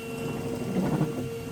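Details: Windscreen washer pump after repair with battery reconnected: brief, steady, thin electric hum with liquid spray hiss; pump runs and sprays normally.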